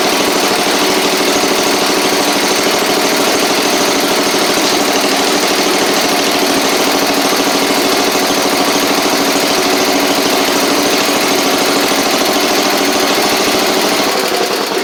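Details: Cub Cadet 70 tractor after drive, PTO clutch and deck repairs, blades off: small single runs at fast even beat with steady tone, then shuts off cleanly; sounds healthy.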